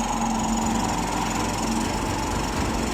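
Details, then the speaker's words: Easy Ride 150 motorcycle after sitting 8 months, with water cleaned from the carburetor: settles into a steady, even single-cylinder idle with no missing beats; running clean. "Okay na so yun namahinga na ng 8 months ngayon ay buhay na easy red 150 in ni paps no"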